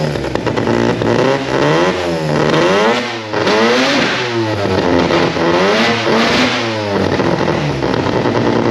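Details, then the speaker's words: Mazda RX4 old race car with new 13B rotary, old Haltech ECU running ignition, battery only 11 volts with suspected alternator issues; revs blipped and dropping back unevenly, stumbling, running rough; owner suspects low ECU voltage, cause unconfirmed. "so I'll get it running but it runs like [ __ ] the race car stuff actual race car"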